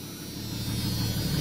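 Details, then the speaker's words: 1991 Jeep Cherokee, 475,000 km, after bad water pump found as cause of engine noise: low even idle hum, no ticks or rattles, runs smooth; needs oil change, oil pressure good. "there's thing runs sweet US needs an oil change but all right"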